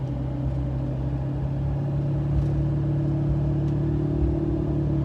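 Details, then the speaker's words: New Federal Explora M/T mud tires on a Silverado 2500HD, heard from inside coasting off the gas at 60 mph; steady low tread hum with no thumping or roar, about average for a mud tire; normal road hum. "You get a little bit of hum, a little road noise, as you would expect with mud tires."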